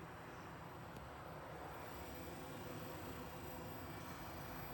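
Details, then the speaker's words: Diesel heater on Leyland DAF T244 truck, 12 V unit moved to 12 V fuse box after E02 over-power fault, first start after priming, not fully plumbed; steady low roar with soft rushing note, no stumbling; burning normally, some smoke. "So I just put it onto 12 volt fuse box, and it's now working fine, no fault codes. Just priming again, and then we'll fire it up. We've just fired it up now, see what happens."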